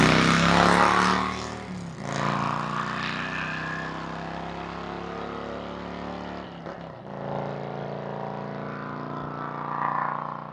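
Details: 2003 Harley-Davidson Road King 100th Anniversary with new headers, fishtail exhaust, Andrews 26A cam and ThunderMax on pass-bys: deep V-twin rumble rising and falling with throttle, smooth even pulses, no misses; running healthy.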